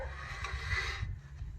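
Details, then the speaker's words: Wheel hub turned by hand with the brake removed. A rough, gritty grinding for about a second from a bad, rust-seized wheel bearing, before replacement. "hear that grinding that is our bad wheel bearing pounding the piss out of it"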